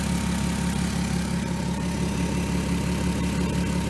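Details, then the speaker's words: 2003 Volkswagen Eurovan VR6 after replacing timing chains, guides, sprockets and tensioner, warmed up: steady even low idle with no rattle or slapping from front of engine: normal idle. "so if anybody else is having issues with the chains or you know noise that seems to be the fix"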